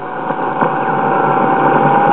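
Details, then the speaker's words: Westinghouse WR209 tube radio during restoration, standard broadcast band high end: constant droning hum with thin whistle creeping upward in pitch; oscillation, cause unconfirmed, 6F7 oscillator section tests weak, possibly between oscillator-mixer output and IF amplifier grid. "you can definitely see we have problems here that need to be worked out"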